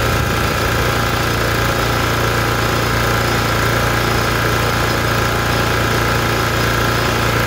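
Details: Lawn mower after its leaking valve cover gasket was fixed with silicone; bolts had vibrated out and oil dripped onto the exhaust, causing white smoke. Loud, steady, even engine note, no misses, knocks or hunting; smoke gone, runs normally.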